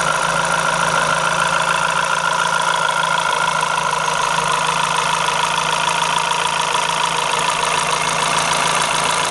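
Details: Renault F4R engine at idle: a loose, somewhat uneven ticking over a steady hiss, an abnormal engine noise of unknown cause.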